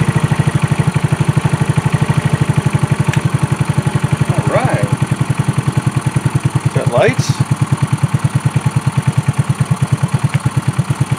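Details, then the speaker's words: 2018 Trailmaster 150 XRX single-cylinder, previously a non-runner, idling for the first time after a replacement carburetor was fitted, warming up: a steady, even putt with no misses; normal idle. "Idle before, now it's idling. That's a big plus."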